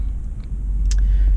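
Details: 2015 Nissan Armada with crank-no-start from a missing start signal, now running with the signal wire grounded (has had an ECU installed): steady low rumble settling into an even run after starting, brief clatter over the top; normal running.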